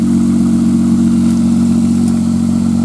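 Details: 1995 Nissan Maxima after replacing two injectors, start after sitting a few hours: smooth, even idle hum with a steady low tone and no ticking; cold-start noise (suspected water pump) gone, engine healthy.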